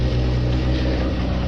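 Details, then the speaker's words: Nissan Altima SE-R, after AC condenser and radiator replacement, idling: loud low engine idle with an uneven, wavering beat; still idles rough. Owner mentions one unfixed vacuum leak and is considering Seafoam; cause unconfirmed. "see how it's behaving see if everything goes good it's still idling pretty pretty rough"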